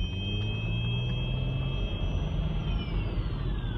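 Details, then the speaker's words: 2003 Audi Allroad 2.7T, early-morning cold start only: two steady high whistles over a low engine rumble, one sliding down in pitch near the end, unchanged with rpm, lasting about two minutes; unexplained cold-start whine, fine rest of day. "you know how it doesn't change with uh rpm continue to go like this for about two minutes and and only in the early morning when i first started the rest of the day is completely fine"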